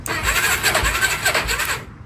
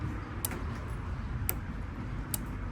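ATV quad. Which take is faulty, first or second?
first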